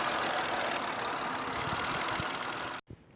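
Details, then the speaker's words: 2006 Honda Odyssey 3.5 L V6 that had sat a while, idling under the hood with check engine light flashing and multiple cylinder misfire codes: uneven, lumpy, surging idle with shaking engine; rough idle misfire. "If I'm quiet like I was just then, you can probably hear that it's surging."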